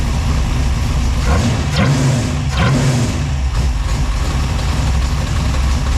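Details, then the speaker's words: V6 Chevette with fresh drivetrain after fixing crossed plug wires and timing set: steady deep idle with choppy loping cam beat, all six cylinders firing, temperature good; normal idle with lumpy cam. "What do you Okay, sounds a lot better now that we finally got six cylinders, not four. [Music] Low pressure, temperature good. Yep. So far, got one of them choppy cams. Sounds good."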